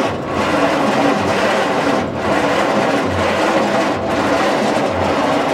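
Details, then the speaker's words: 1940s Bay City Model 30 cable crane/dragline engine, unused over a decade: slow laboured cranking about one turn per second, never catching; 6-volt starter turns too slowly, starting fluid suggested. "Starting fluid would help. Huh? Starting fluid would help. It just don't turn fast enough for 6 volts."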